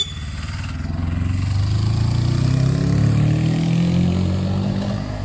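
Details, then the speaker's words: Suzuki GS500 500cc twin after carb clean and balance, fuel lines simplified, running without airbox: smooth even revs rise and settle cleanly with steady low note, no stumbles or knocks; running well. "it sounds much better yen ii tell him when he comes back that's running well that's running nice"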